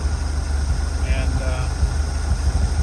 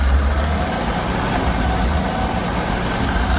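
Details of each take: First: Six-cylinder 250 CID engine in a van with a new Daytona carburetor, fuel pressure regulator and gauge fitted for a hot-restart problem, restarted in a parking lot during a test drive: low, even idle, no misses, knocks or hunting; runs smoothly. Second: Frank's 250 CID six-cylinder with new Daytona carburetor and fuel pressure regulator, hot restart at zero PSI: low uneven chugging drags several seconds before settling; fuel suspected still leaking into carburetor, less bad than before regulator.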